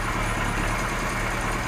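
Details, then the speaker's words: Kawasaki Z1 four-cylinder, about 50 years old, air filters off, after vacuum-gauge syncing the four carbs and adjusting the air mixtures: even, steady tickover, smooth low hum, no stumbles or misses; idles much better. "it's ticking over so much better since I adjusted the air mixtures on all four carbs"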